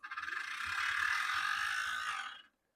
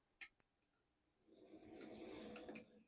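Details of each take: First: HO scale Athearn Bluebox Burlington Route GP35 bought from an eBay lot, previously seized, now just freed and run under power in both directions: harsh high-pitched gear grinding that swells with power; drive line fault, owner suspects one truck turns and one doesn't. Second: HO scale Athearn Bluebox Burlington Route GP35, brief test run after the seizing issue was fixed and before teardown and cleaning. A soft, even motor whir with no grinding runs fine forwards and backwards, much quieter than before.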